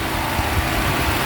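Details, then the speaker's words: Mercedes W126 after a DIY new ignition coil, following warm-up and revving: short smooth even idle, steady low rumble, no stumble or skipped beats; not a misfire yet; normal idle. "it's running. Not too bad. Not a misfire yet."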